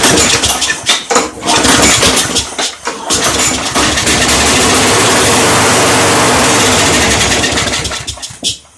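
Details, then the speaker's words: Craftsman mower model 917.388113 with a suspected fuel delivery problem, after priming the bulb to push fuel through: it catches in ragged bursts, roars briefly, then sags and dies; owner suspects the old carburetor needs removing and cleaning. "well that didn't help very much so it looks like we're gonna have to take that carburetor off and take a look at it"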